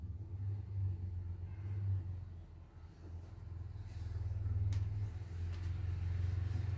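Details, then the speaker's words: CNY embroidery machine after repair (was dead, heavy rotation, messy stitching), test run: low smooth motor hum, even stitching beat about three per second, no scraping; sound now smooth versus rough before; worn rubber noted. "Tapi suaranya udah halus. Kalau yang kemarin kotor gitu."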